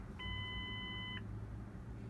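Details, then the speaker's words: 2002 Mazda Tribute 3.0L V6, 200,000 km, with a stalling and surging idle: a steady high beep of about a second repeats after short gaps. This is the airbag warning chime for a restraint control module fault, often the seat buckle contact sensor. "And then of course also on these Fords and Mazdas, they got that annoying beep. Will indicate that there's a problem in the restraint control module."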